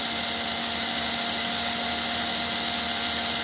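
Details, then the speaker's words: Model train engine, open-frame American Flyer armature and brushes with DC fields, front ball-bearing armature, three ball-bearing axles, running at about 12.2 V under 1 A: even, steady high-pitched hum with no knocks, ticks or roughness; normal motor hum. "You know, something quite lovely about that hum, isn't there? Just humming."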